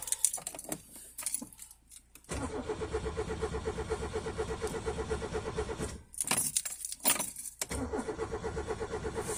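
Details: 1987 Peugeot 205 1.4 GR, Douvrin X engine, unused three months, cold: keys rattle, then repeated long cranking bursts with faint firing catches; hard start because the sticking choke mechanism won't reach full choke, taking about a minute.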